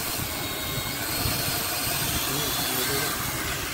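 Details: C88 toy drone after repair, held down while powered on and throttled up: several tiny motors give a steady, high, airy buzz with no stutter or catch; normal drone motor run.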